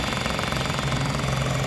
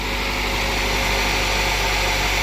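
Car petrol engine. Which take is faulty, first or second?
first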